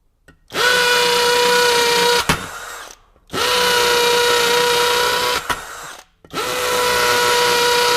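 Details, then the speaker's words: Kobalt KHD124 24V brushless hammer drill in hammer mode drilling 3/8 inch holes in cinder block with a masonry bit; three even, strong bursts of high-pitched hammering buzz about two seconds each; no distress. "the hammer drill mode had no trouble you know driving 3 8 inch holes in in the cinder block here"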